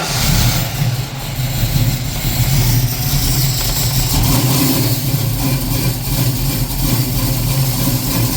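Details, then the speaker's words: 1965 Ford Mustang V8 on Holley Sniper EFI: uneven, lumpy idle that hunts up and down with a dropped-cylinder stumble. Misfire present and running too rich; a couple of rockers were out of adjustment and a resistor wire is suspected. "we got a Miss I don't know if that's mess with the cam it's actually running leaning enough to where the cam sounds good it's too rich in be so walk me through what all problems did we have with it running well it's searching"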